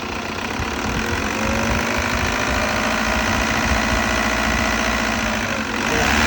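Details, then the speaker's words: Start-up after cleaning and refitting the EGR valve on a 2002 VW Jetta 1.9 TDI diesel: steady, even diesel clatter at roughly four beats a second, no stumbling; running good, normal healthy idle. "kill it she's running good nice"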